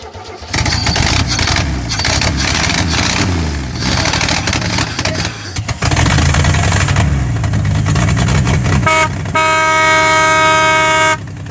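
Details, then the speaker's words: 1971 Chevy C10 not run in years, corroded ignition connection cleaned to restore spark, gas poured in; after short crank catches into loud slightly uneven run that settles and keeps going, horn-like tone near end; it runs. "Alrighty, it runs."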